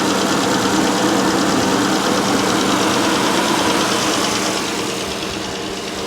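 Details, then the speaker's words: Salvage auction car with a MultiAir turbo engine that doesn't drive (no clutch, suspected linkage/transmission problem): steady, even idle with no stumbling; the engine itself runs well. "it runs great though it sounds good"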